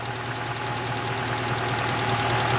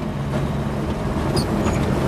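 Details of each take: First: Wood-gasifier-fuelled truck engine after airflow fine-tuning, blower removed and plug refitted: steady, even idle with a smooth low beat and no misses or knocks; running cleanly on wood gas. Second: Truck converted to run on wood gasifier, after driving in second gear with some lag: engine holds a fast, busy idle well above normal with steady pitch, extremely high idle; some smoke visible.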